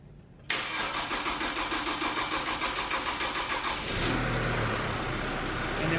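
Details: Chevy Colorado / GMC Canyon 2.8L Duramax LWN diesel just after fuel filter replacement and priming: brief crank, catches cleanly and settles into a steady diesel idle clatter within seconds; normal start and idle.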